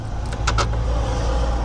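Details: 2006 Mercedes Vito diesel van that sat about 6 months and would not start because of a seized alternator pulley. After the alternator was replaced, a couple of sharp clicks and it starts cleanly, settling into a steady, even low idle.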